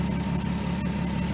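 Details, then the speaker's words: 2003 VW Eurovan VR6 after timing chain, guide and sprocket replacement, warming up after air purge: smooth, even idle, steady low hum, no tapping or chain rattle; normal idle. "full disclosure i started up like a couple minutes ago and i had to let the air purge out of the uh i just let it warm up"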